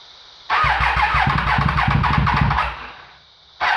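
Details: 2013 Triumph Daytona 675R first startup after top-end rebuild following timing chain tensioner failure that let intake timing jump into pistons: catches quickly, revs crisply, dies, refires; clean even combustion, no knocking.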